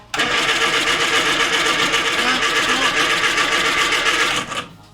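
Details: Morris Minor van, first start attempt after long storage, leisure battery and easy-start spray: steady starter churn of about four beats a second for four seconds, but the engine never catches; cranks but won't start.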